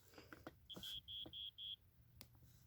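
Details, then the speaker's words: 1987 Wake and Warn 2 smoke detector with rusted battery compartment, test button pressed: four short, thin, faint high beeps over handling noise; weak sounder, rust likely affecting it. "okay hold on see how faint it is you can barely hear it I don't know what it is but when I pull this back you can hear it faintly all right can hear it really faintly but you got to listen"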